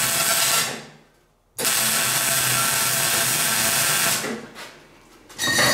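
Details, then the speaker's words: Welding on a classic Mini shell roll-over jig over unclean painted metal: harsh crackling and popping in bursts instead of a smooth frying hiss. The spatter is the paint and lessens as the paint flakes off during the weld. "Now you might hear that splatter, that's the paint. And the reason it's getting better is the paint is flaking off as I'm getting the weld done."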